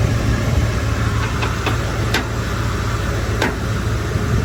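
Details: Ford F-150 idling steadily while a few sharp, irregular pops come from the front end. The front crossmember was loose after being removed for an oil pan gasket job and not reinstalled tight enough; the fix was tightening it.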